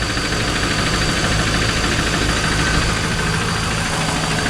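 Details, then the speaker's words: 2001 Pontiac Trans Am LS1 V8, idling after Marvel Mystery Oil and Seafoam treatment: repeated knocking a bit over three per second over a steady idle, still ticking. Cause unconfirmed. "Still got some ticking, knocking, whatever you want to call it, coming from the engine."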